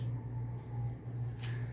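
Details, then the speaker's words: Thorens TD124 Series 2 turntable under restoration, running on a new, narrower belt before the motor mounts are installed: smooth, quiet low motor hum with no belt flapping or ticking; the motor is not silent, but this is normal running. "It seems okay. It's not flapping around like the old belt. I don't hear any extra noise. There's some noise from the motor. This motor is not dead quiet."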